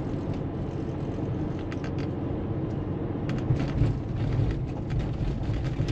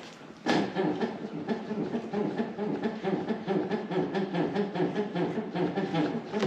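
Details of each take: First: Porsche 911 after shock absorber replacement, driven at 30 km/h over a potholed test road: steady low road rumble with only faint thumps and no squeak from the front suspension; quiet suspension over bumps, night-and-day difference from the old dampers. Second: Porsche 911, first registered around 1998, moving with rapid repeated creaky squeaks from the front axle; the front shock absorbers, believed to be the original ones, are worn.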